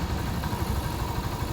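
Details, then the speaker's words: Honda Supremo 150 at low idle after replacing worn valve guide and damaged valve to cure top-end ticking: low, even putter with no ticking, healthy and settled. "Ayun tahimik na siguro naman matua na mayari nito babaan mo ng Menor toyo pa baba pa yun oh perfect talaga magaling magaling goods"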